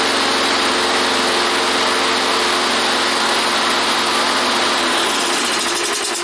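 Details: Toro lawnmower single-cylinder engine after decarbonizing the head and fitting a new head gasket: buzzes at a steady, even speed with no stumbling or surging; mower runs properly after repair.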